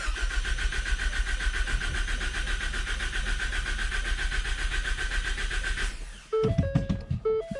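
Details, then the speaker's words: Ford Focus ST after K03 turbo replacement, cranking without firing to prime oil: a regular clocking beat, about four per second, that then stops. The source of the noise is unclear. "it was a clocking noise like like look look look look do you hear it yeah here I hear it one more time"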